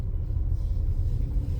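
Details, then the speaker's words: New Lada Vesta with a six-speed manual gearbox, driving on the road; low, even road and engine rumble with no whine or hum rising over it. The gearbox sounds healthy, with no gearbox hum. "Гула здесь нету. Ладно. Ладно. Так, всё понятно. Гула здесь нет."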